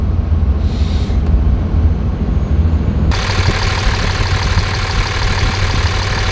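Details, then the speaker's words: 5.9 24-valve Cummins diesel, warm, check engine light on from an unplugged CP3 fuel control actuator: deep, steady idle with even exhaust pulses and no distinct tick; exhaust manifold temperatures all within about 10 degrees, possibly a false alarm. "the temperatures are all within about 10 degrees ah i don't know it seems to be fine might just be a false alarm"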